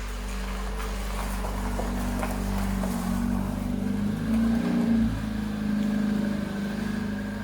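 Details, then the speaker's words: 1997 Peugeot 106: revs with ragged uneven puffing and raspy edge under the exhaust note; exhaust rusted through with a hole, leaking. "Mikko is moving the 106 in there so we can have a look for where the rust spot is on the exhaust that we suspect, because it definitely sounds like there is one."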